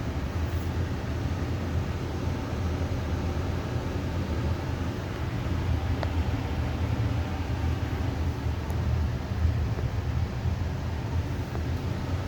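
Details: Amana 95 IIQ two-stage variable-speed gas furnace after burner shutdown: steady low blower whoosh, no rattles, squeals or scraping, as it runs on cooling the heat exchanger and slowly, smoothly turns off; normal cool-down run.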